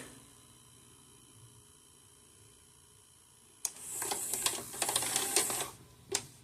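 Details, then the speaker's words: Magnavox DVD/VCR combo after a successful VCR repair: a quiet hum, then light clicks and whirring as the tape is ejected, reinserted, drawn in and threaded, and it starts to play; normal loading. "Eject. Reels the tape. Put this in. Grabs it in. And it starts to play."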